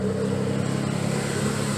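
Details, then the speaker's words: Nissan 300ZX after power steering pressure line replacement and belt tensioning, steering turned lock to lock: steady, even engine hum, no squeal or chirp from the belts; belt tension sounds right. "i was never able to do this before and i don't hear the belts we can either so i got the tension wrist"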